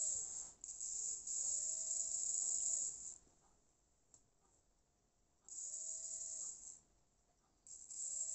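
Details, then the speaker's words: Jouef 3-pole model railway motor, apparently Jouef though the chassis is unmarked, tested on a 9-volt battery: high-pitched whine in short even bursts, each spinning up and settling to a steady tone, less noisy and much smoother after a point contact issue. "Oh, point contact. Not so noisy. Much smoother."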